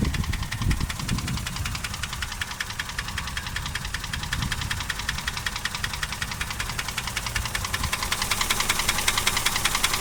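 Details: Toyota 1KR-FE three-cylinder engine at idle: sharp regular knocking, about two to three a second, clearly over the idle; a distinct internal knock of unknown cause that has not reduced power or acceleration.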